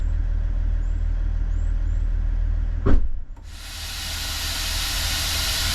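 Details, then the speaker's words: Range Rover L322 after air suspension compressor strip-down and seal kit: low engine idle, a short clunk, then strong steady hiss as the suspension is lowered; air relief valve vents normally, though the air suspension fault remains. "so that's the air relief valve I've just lowered the suspension so the air relief valve sounds good"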